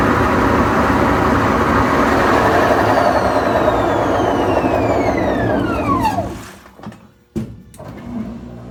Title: Ge washer loud noise